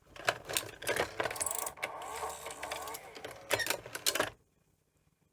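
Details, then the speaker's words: Sony multi-format Betamax recorder (711B3-type deck) set to 220 V, NTSC tape loaded: motor whirs in short bursts with clicks as threading starts, reverses and stops; tape loading mechanism hunting, logic or motor suspected, unconfirmed. "but just doesn't um you can hear like a hunt and that to me doesn't sound quite right that it's sort of doing this it's almost like it thinks there's a broken cassette"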